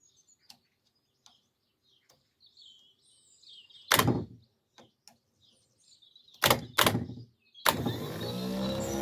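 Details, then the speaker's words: Bobcat T2556 telehandler starter motor cranking, hard-start issue: short clacks then electric whirr whose pitch sags; starter sounds weak and struggling, to be taken for repair. "that sounds like it's struggling to me really does"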